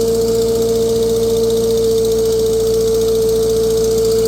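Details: 1948 Farmall C tractor, former parade tractor, on a dyno, being warmed up again: steady loud tone with fast uneven ticking chuff; owner says cracked exhaust manifold, previously JB-welded.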